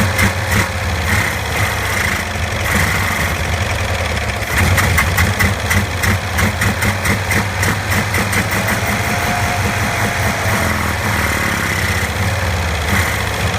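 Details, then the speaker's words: 1965 Cushman Truckster two-cylinder, started after sitting over a year, smelling of gas: uneven, lumpy idle with irregular chuffing and stumbling, and it won't accelerate. A stuck choke valve causes the rough idle. "it's just I'm trying to get that choke to let off that's the problem it's got like it's got a stuck choke valve"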